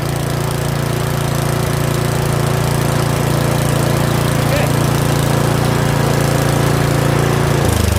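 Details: Curb-find Yard Machines 21-inch 179cc OHV single-cylinder snowblower idling after a full-throttle run; steady, even putter with no misses, hunting or knocks, a normal healthy idle.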